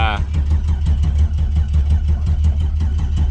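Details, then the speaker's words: 6.0 LS turbo swap in a Foxbody, first start: a fast, steady cranking churn without the engine catching; the starter kept turning even after the key was switched off. Cause suspected, not confirmed. "I mean we wanted to start and it didn't want to stop starting so it giving us what we want"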